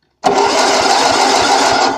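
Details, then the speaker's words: Lawn tractor with an 8 HP Briggs & Stratton engine, being restored after sitting about 40 years, with a brand-new coil and the kill wire not yet connected. The starter turns it with steady, even compression pulses, about six or seven a second, but it never fires. Cranks, no start. "Or it won't start, but it'll crank it over. But I don't have the kill wire on it yet, but there's a brand new coil in here."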